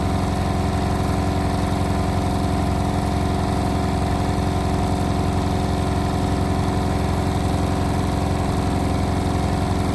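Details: Indesit WIL143 washing machine on final spin at 1400 rpm: loud steady drone with a throbbing pulse about four times a second; strange abnormal noise, cause unclear.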